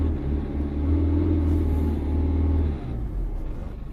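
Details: 2004 Citroën C3 1.4 L HDI diesel, engine light on, code P1164. It won't rev above 2500 rpm, a capped flat drone under throttle that drops back; rev-limited limp mode. The fuel rail pressure sensor was ultimately the cause.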